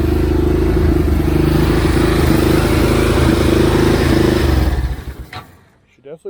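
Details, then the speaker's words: Xcel mini dirt late model (micro sprint based, engine about 650cc, uncertain), first start: choppy, stumbling idle that dies after about five seconds, oil spitting from the exhaust, possibly overfilled. Carb runs only with choke or hand over intake; cleaning failed, new carb planned. "the problem i'm having is the carb doesn't want to run unless the chokes up and you almost have to have your hand over the intake to make the thing want to run which means that that carb is shocked"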